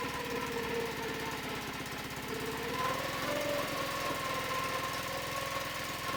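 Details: Mercury 5HP two-stroke outboard bought with a damaged lower unit and housing, first start test on hooked-up fuel before repainting: buzzy note with a steady, even pulse that keeps running; normal running.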